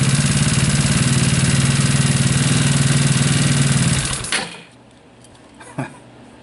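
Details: Scooter with an aftermarket alarm remote start that wouldn't start it; the fault was a taillight connector not completing the circuit. Starter switch in the on position. Engine catches and settles into a quick, even putter for about four seconds, then goes quiet: clean start and idle.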